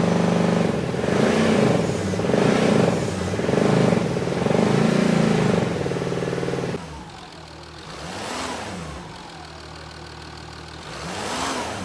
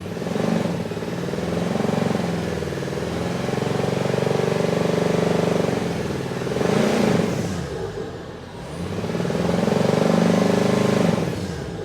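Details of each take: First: Jaguar XJ6 2.7 TDV6 diesel after a rebuild for a failed main bearing: it settles into a quieter, smooth, even idle, with two clean revs that rise and fall freely. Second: Jaguar XJ6 2.7 TDV6 diesel runs with a rough buzzing vibration and a dull knock about four times a second from a failed main bearing, before the engine rebuild.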